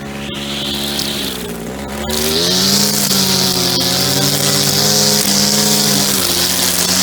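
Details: Echo SRM-2400 string trimmer, believed mid-1990s, slightly bigger engine than the SRM-230, just started after priming and choke. High buzzy two-stroke wail climbs to a steady, clean high speed with small even dips; runs normally, though it vibrates a lot.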